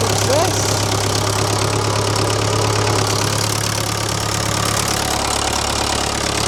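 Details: Old positive-earth, dynamo-fed tractor diesel, jump-connected to turn over faster: steady diesel clatter at an even slow idle, no faltering or odd knocks; normal idle.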